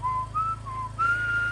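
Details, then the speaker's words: BMW M4 S55 after cold start: high, thin whistle around 1 kHz wavering in short bursts over a low idle hum, the PCV whistling problem. "That was our problem, making the whistling sound."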